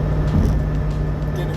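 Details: 2007 Mustang GT 8.8 rear end while driving: steady low droning whine at one pitch under road noise, with play at the pinion flange; re-preloading the pinion didn't fix it, caused by worn differential bearings.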